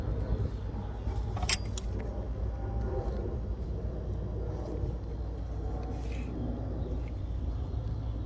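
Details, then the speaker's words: 2016 Honda Accord after replacing the high-pressure fuel pump to cure a hard-start problem (pump should reach at least 2,000 PSI while cranking): starts easily and settles to a quiet, steady low idle with no hunting; normal idle. "It starts up like a dream, you're good to go."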